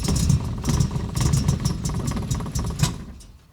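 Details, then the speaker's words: 1966 MGB GT with B-series engine, first start in several years on fresh fuel, choke fully out: freshly started engine with an uneven stumbling beat, about two pulses a second, reluctant to rev; misfire, suspected fuel problem from stagnant fuel. "okay bit of a misfire there certainly sounds like a fuel problem to me"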